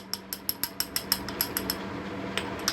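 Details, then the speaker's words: Half-HP peripheral water pump, impeller moved on its shaft to show the play: quick light clacks about seven a second, then tapering off. The loose impeller on a worn splined shaft rattles, especially at startup before water stabilizes it. "observen como yo la coloco y vamos a observar el juego que tenemos aquí Este es el sonido que ustedes escuchan esta bomba de agua"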